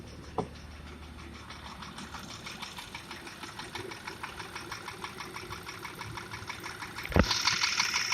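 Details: Porsche Macan petrol engine at 74,000 km with high oil consumption, idling with a steady metallic knock about three taps a second; borescope inspection found cylinder wall scoring.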